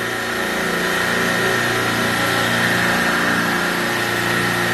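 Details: Copeland compressor on a supermarket refrigeration rack, oil pressure net about 60 psi against a 43 psi minimum: steady even hum with a faint high tone, no knocking or rattle; normal compressor running.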